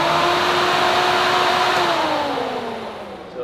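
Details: Three-rotor RX-7 radiator fan on a newly wired 30 A relay, tested by grounding the ECU signal wire: steady electric fan whir with a clear humming tone, easing down in pitch toward the end; the fan runs normally.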